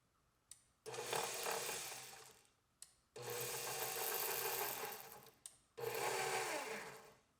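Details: KitchenAid Professional 550 HD stand mixer after replacing stripped worm follower gear: three short runs of even motor whir, gears meshing smoothly with no grinding or knocking; repaired gearbox sounds healthy.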